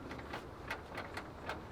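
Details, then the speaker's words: 2008 Honda Civic that shakes at 60+ mph after a bad road, alignment reportedly done without fixing it; jacked up, wheel turned by hand: faint uneven clicks and light clunks, noticeable drivetrain slack on this side only; worn inner CV joint. "something's going around here there's no play here there's no play there but I do hear a reasonable amount of slack in the drivetrain"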